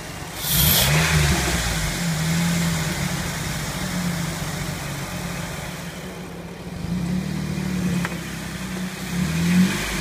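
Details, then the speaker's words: Engine revved up and back repeatedly by a helper. A faint whirring whine rises with the revs: a noisy pulley bearing. "so what we're going to do is we're going to try to find that noisy bearing and with Brooks revving the engine for me it makes it uh it augments that noise"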